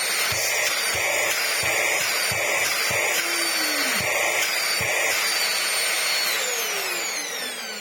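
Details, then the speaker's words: Vax Air Stretch bagless upright corded vacuum, back together after dust was cleared from around the motor; pre-motor filter missing. Even high-pitched motor whoosh with a few handling clicks and steady pitch; airflow now sounds much stronger, running normally. "I reckon we should try this back on there. Decent, decent. I bet we've got tons more airflow now."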